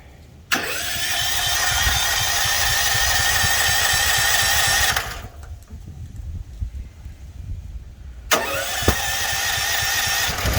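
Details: Home-backup generator running on propane, started by push-button auto-choke after the tank valve was opened, with its circuit breaker off. It bursts into a steady even roar, stops briefly, then refires and settles smoothly: a normal start and run.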